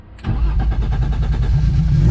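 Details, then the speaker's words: Turbo M52-swapped BMW E30: brief quick even cranking, then catches cleanly into a steady low rumble after replacing a blown fuel pump fuse that had caused fuel cut while driving; normal start. "it worked let's [ __ ] go it's just a fuel pump fuse"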